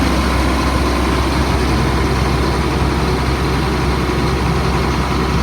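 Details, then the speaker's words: 2004 Blue Bird All American 72-passenger school bus diesel, running about an hour, not overheating, after touching brake drops from fast idle: steady even low rumble at settled speed, no hunting or knocks; normal idle. "Touch the brake, the idle goes down to normal."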